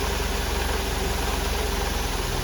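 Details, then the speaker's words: 1993 Mercedes 190, cold with old fuel: a slow lumpy idle with a heavy thump that sags further when the air meter is cracked. Low cold idle; idles fine when warm. Owner suspects fuel filter, fuel accumulator, bad fuel or pressure regulator. "again super low idle and when I try and crack the air meter here it just wants to fall in his face"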